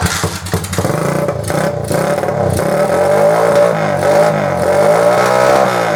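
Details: Honda CG125 cafe racer, unstarted for three or four years, after carb cleaning (stale petrol) and new battery: steady single-cylinder beat climbing smoothly in pitch with throttle and dropping back cleanly; runs and revs normally.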